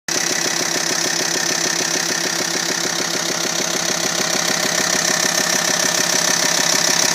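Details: T5 engine at a steady idle with an abnormal, even knock-like tick of about three per second over the engine note; the source of the noise is unclear.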